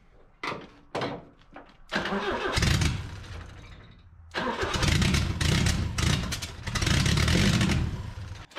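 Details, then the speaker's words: 1981 minitruck engine, started after adding jumper wire to feed coil 12 V: several short cranks, then fires and surges with lumpy, rough high running, never settling; owner suspects vacuum leak at carb spacer. "let's see how she's gonna run [Music] a little buck nasty sounding [Music]"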